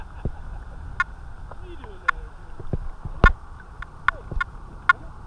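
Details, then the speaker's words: Detector Pro Headhunter Pirate metal detector, coil in water, discrimination raised from zero to seven: mostly quiet threshold with only a few short scattered chirps; reduced false signals with higher discrimination. "hey guys so having it on seven the she is relatively quiet now"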